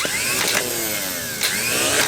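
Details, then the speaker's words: 1980s John Deere RX95 mower starter for Kawasaki FV460V engine, after rebuild, bench tested with correct setup: short whirring spin-ups, pinion pops out and spins freely; starter is good. "that's exactly what it's doing popping up and spinning perfectly so this is a good starter after all"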